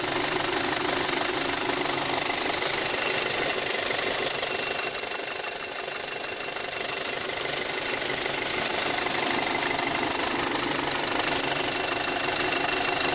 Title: Audi A4 2.0t 6spd Avant - What's that ticking noise?